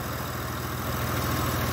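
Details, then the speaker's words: Honda truck with code P0108 (MAP sensor), which had been leaving black soot at the muffler: after the sensor was refitted and codes cleared, the engine starts and holds a smooth, steady, normal idle with no stumbles. "enciende la la patata como por arte de magia se escucha el motor"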